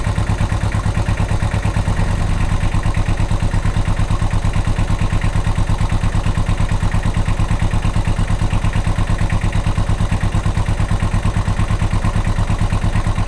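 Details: Kubota L185 diesel tractor after starter repair: steady chug about three beats a second, even and unbroken with no misses or knocks; normal running.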